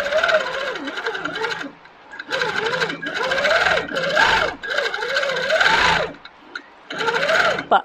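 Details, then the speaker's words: Handi Quilter Capri sit-down longarm in Precision regulated mode at 11 stitches per inch; stitching in short even bursts with pauses, steady needle pace within each burst, normal stop-start stitching. "basically it's feels a little stop start if I don't want it to stop start I'm going to go into this other mode"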